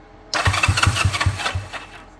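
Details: 1978 Honda Twinstar CM185T, grandpa's bike pulled from storage: quick chuffing compression pulses about five a second for a second, then it dies away without catching; cranking no start.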